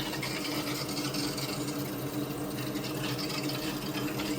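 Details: Vaillant combi boiler after replacing the faulty circulation pump motor, which previously rattled: steady, even hum with soft water swish and no rattle or knock; the new pump runs smooth and healthy.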